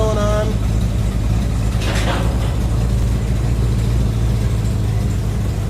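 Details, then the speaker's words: 1987 Chevy 3500 with 454 TBI V8 and side exhaust, after new cap and rotor: deep, even idle rumble with steady pulses and no stumble or skip; normal idle. "okay this is what a 454 should sound like okay [Music] we got the NASCAR side exhaust going"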